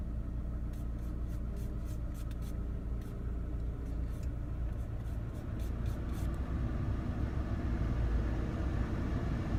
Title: Misfire Mini R56